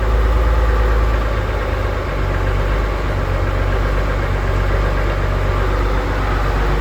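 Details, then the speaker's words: Engine with idle set about 1000 RPM that dies straight away at idle and stalls when rpm drops quickly: rpm brought down slowly, low heavy lumpy idle sagging toward stall but keeps running; cause unknown. "And if I bring down the RPM slowly, listen, it stalls. I'm bringing it down slowly. It's stalling. You can hear the stalling."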